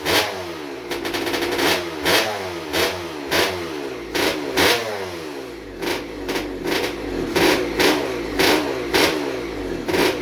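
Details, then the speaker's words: Rebuilt 1996 KX250 two-stroke with ported TM Racing 250 cylinder, rotary disc intake, Maico 490 rod and Tecate balance shaft: sharp crackling revs in repeated blips, each rising quickly and dropping back, crisp and even; running healthy. "sounds good though I'm impressed I'm really impressed"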